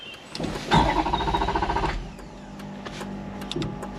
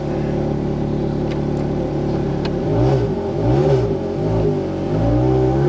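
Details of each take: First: Wrecked Ferrari 430 Scuderia after a battery reset, with the fuel light on despite fuel in the tank and the F1 pump audible. The starter spins the engine about 1.5 seconds with an uneven churn but it never fires; crank, no start from a tripped fuel cutoff switch. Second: Wrecked Ferrari 430 Scuderia restarted after battery reset: steady idle then quick blips climbing and falling cleanly with no misses or clatter; engine runs healthy.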